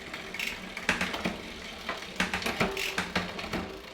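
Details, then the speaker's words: Shimano Deore M6100 12-speed with 10-51t cassette on Trifox bike, after B-tension adjustment: freewheel ticks with crisp clean clicks across the cogs, no grinding or chatter; normal, smooth derailleur shifting. "So now all the shifting is nice and smooth as it goes through."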